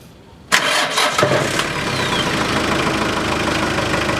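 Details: Hyundai Porter 1 2006, 2.5 turbodiesel, manual, rear-drive, 170,000 km: the starter whirrs, then the engine settles into a steady, quiet idle with no rasp or blowing from the intake.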